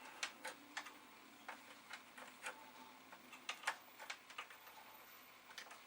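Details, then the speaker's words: Amiga 500 with an internal hard drive that had earlier needed help to spin up from stiction. At boot: quiet, irregular light ticking of head seeks, no grinding, whine or clunking; drive working normally. "So, I can hear the hard drive. The activity light is flashing. The machine is coming up."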